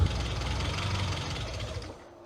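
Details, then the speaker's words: Classic Mini MPI idling after cylinder head rework and cooling system refill, running on roughly seven-year-old fuel: lumpy, uneven stumbling idle that sags and fades; owner suspects the old fuel, unconfirmed. "as you can hear it's not idling very well but I think since the fuel inside the car is what seven years old or so I've actually bought some new fuel to see if that solves the issue of this rough item"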